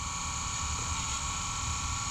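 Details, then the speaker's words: Taylor T 450 wood water boiler circulator pump after overheating, steam and water loss, refilled and bled: loud steady hiss and hum with constant whine, no change in speed; noise persists. "all right so my pump is uh something's not right"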